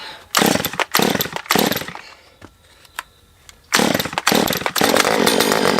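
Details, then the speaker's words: Non-running Stihl MS194T chainsaw with a fuel problem, taken off choke with the carb set fully rich on low and high: short revving bursts that cut out and pop, and it sounds like it is sucking air. A carb fault is suspected. "Yeah, I mean, I can hear it sucking air or something. Okay, take it off a choke. Alright, let's go all the way rich and low, and we'll go rich on high too, I guess. It's popping, so I know this is going to be carb. I can already tell."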